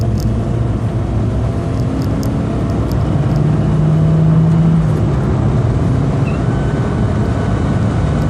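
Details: 2002 VW New Beetle during acceleration: engine pull with road rumble and a faint thin whine rising briefly mid-pull; vacuum leak traced to several broken plastic parts, fixed with parts similar to an emissions service kit.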